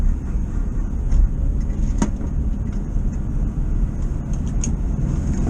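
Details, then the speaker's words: 1973 VW bus on the road after advancing ignition timing to cure hesitation at junctions and roundabouts: deep, even engine rumble holds strong under load, pulling hard with no hesitation or misfire; normal acceleration. "Put my foot down, no hesitate, pulling like mad. I'm going to go right round this one and back. Well, no hesitation. pulling back at all."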